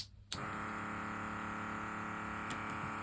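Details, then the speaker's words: USB-powered vacuum pump of an E-Painter electric diamond painting pen switched on: click then steady loud high whirring hum; loud noise from the pump's fan, unchanged when placed on soft material. "Oh, that's quite noisy. That is quite noisy. I think you can hear that. I wonder if I can put it on something material. Yeah, I suppose you can't cover, it's the fan part that's making the noise."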